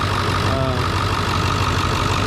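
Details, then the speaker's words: 7.3 Power Stroke diesel just after a fuel filter change, with the system primed and purged of air: an even idle clatter at a steady speed with no stumbling or misses. Normal idle. "but this one's doing pretty good."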